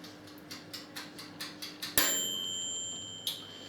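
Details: Swan 23 litre electric convection oven (SF37010CN) set to 230°C on rotisserie setting with fork spinning; light steady timer ticking about four times a second over faint hum, then a bright ding; normal operation.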